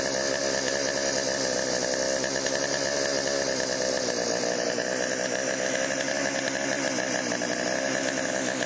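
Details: Chainsaw after Texas ice storm, priming squirt into cylinder via spark plug hole: high steady two-stroke buzz at even pitch, no surging or dropouts; could be fine-tuned but ready to go, bar oil pumping through.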